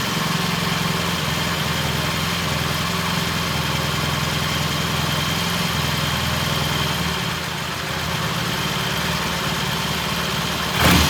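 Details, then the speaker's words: 1968 T100 vintage British twin, first start after a new battery was fitted: steady, even idle that holds without hunting or stumbling. Timing was checked and found dead on, mixture good. Normal idle. "This is good idle here. It's holding the idle."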